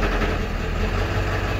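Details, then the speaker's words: Ford Powerstroke 7.3 diesel truck idling in neutral: deep idle with a loose, uneven rattle from the bell housing area, also when coasting to a stop, gone in reverse or gear; owner suspects transmission, source unconfirmed. "you can probably hear that now it's starting to rattle doesn't sound good and that's neutral"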